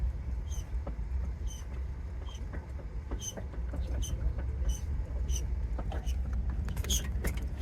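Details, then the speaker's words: Yamaha R3 being pushed with a stuck brake issue: short sharp squeaks roughly every half second over traffic noise. Likely something rubbing at the front wheel, possibly brake drag. "so you guys hear that what is it [Applause] we're not actually scraping something's"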